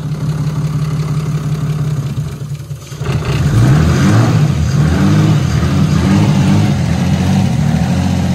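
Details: Nissan R34 Skyline RB25DET just after cam seal replacement and reassembly: smooth, even idle with a clean rev blip and no ticks or knocks. It started right up without problems.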